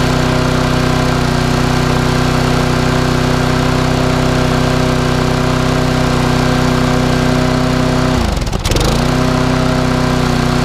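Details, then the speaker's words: Small Briggs & Stratton single-cylinder lawn mower after a spring fix: steady fairly high buzz with one brief dip; running a bit fast, owner plans to stretch the spring to relieve tension. "it's running a little bit quick no lot I can hear it know about you guys just running a little bit quicker then what I would like"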